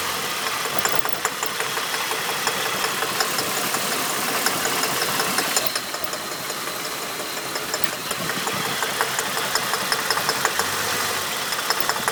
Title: Holden VT knock/Rattle Noise